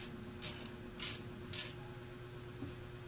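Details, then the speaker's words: Mitsubishi Adventure speedometer gauge off the vehicle, its cable turned slowly by hand: rhythmic hissy scraping bursts, nearly two a second, even at low speed; the owner reports noise from 60 kph and the needle jumping to high readings. "Oh mabagal palang pihit ko pero maingay na siya."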